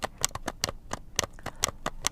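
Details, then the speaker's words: Slot.it 1/32 slot car motor pod on stock fully threaded screws, before swapping to smooth-shank small head screws; dry clicks and scratchy rasps as the pod is rocked, crunchy uneven float from threads binding. "it's a little crunchy. I don't know if you can hear it or not. And that should be there because these are the stock screws."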